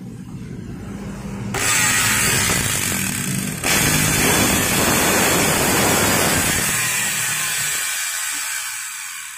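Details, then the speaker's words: Modern M2600 circular saw after new carbon brushes: the motor spins up with a harsh, crackling buzz instead of a clean whine, with large sparking visible at the rear. Damaged armature, to be replaced. "Wow ternyata apinya ini sangat besar banget tadi bisa kalian lihat dari belakang sini apinya nyala besar banget ya dan bunyinya juga berbeda agak ngepet biasanya jika suaranya itu agak retak terus pengapiannya besar itu dari armaturnya yang rusak"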